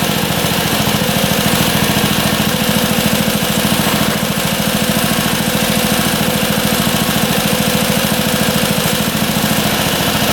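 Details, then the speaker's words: Rare auction motorcycle that had not run in a long time, with the idle screw set 1/2 turn out: an even, steady idle at about 3.5 beats/s with no misses or knocking; it idles healthy. "Running great. I can't believe how good that runs. Idling perfectly."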